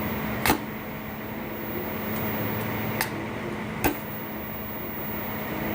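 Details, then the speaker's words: Repaired 3-phase welding machine that previously would not spark, current set low and lead shorted to test; steady mains hum with three sharp cracks as it strikes, welder working again. "ये हमारा current मार रहा है। तो हमारा basically दोस्तों ये ठीक हो चुका है।"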